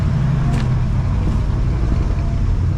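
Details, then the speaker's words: 1968 Ford F100 Ranger V8, abandoned for years, after ignition repair with points and correct condenser and air-fuel adjustment, possibly still cold: deep steady rumble with an even beat, no stumbles or skips; smooth idle, more tuning needed. "See if we can get her to run halfway decent. And we still got to do some tuning I think. But I think it's not skipping anymore."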